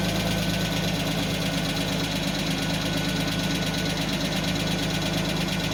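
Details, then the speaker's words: 1991 Mercedes 190E with front exhaust section removed, warming at idle: light, fast hydraulic lifter ticking over the engine note, quieting as it warms; oil changed but filter not yet. "that's the lifter noise that's a different story"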